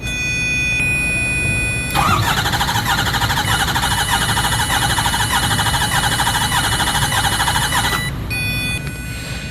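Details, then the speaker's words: 2008 Ford F-350 with 6.4L Powerstroke diesel, which had check engine and oil lights and a history of sludge: starter cranking with a lopsided beat as one compression stroke drops out. The dead cylinder is number 2, confirmed by a power balance test. "What you don't want to hear is what we just heard. Crank, crank, crank, crank, crank, crank, crank, crank, a very distinct one cylinder missing."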